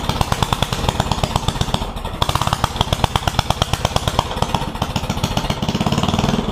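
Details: One-seater Yerf Dog go-kart with a newly installed 420 Predator engine during break-in: single-cylinder thumping along at a steady fast pace, firing even and unbroken; healthy.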